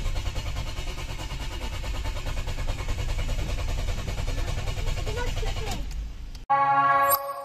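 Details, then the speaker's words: Dual-fuel (LPG/petrol) car, likely a Ford Focus, stranded and towed to a workshop: the starter cranks in a fast, even rhythm for about six seconds without firing; mechanic found no fuel reaching the engine, and the fuel pump was replaced. "burada yine ustada baktığında şöyle dedi bu araca yakıt gelmiyor"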